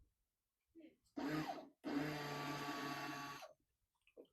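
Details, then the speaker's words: 1998 Dodge Durango fuel pump, out of the tank and bench-tested on direct power after the truck sat over 10 years: two short bursts of steady electric whir and low hum, no grinding or stutter; pump works. "Pump sounds like it works."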